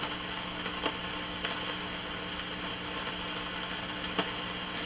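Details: Heathkit T-3 signal tracer in noise mode: loud steady hiss with faint hum from exposed leads acting as an antenna, plus occasional sharp crackles from a noisy carbon resistor, later replaced with a new 100K resistor.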